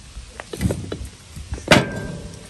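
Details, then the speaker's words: Removed old front differential from a 1999 Chevy Tahoe, yoke spun by hand: uneven clunks and gritty clicks instead of a smooth spin; badly worn, rough, noisy rotation, unlike the super-smooth replacement unit. "this listen to that this is terrible"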